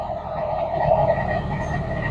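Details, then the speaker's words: Idling engine with a rough, croaking growl and a thin steady whine that appears as the clutch pedal is pressed to the floor, silent with the foot off: a failed clutch pilot bearing, not the release bearing. "okay so that is a pilot bearing failure"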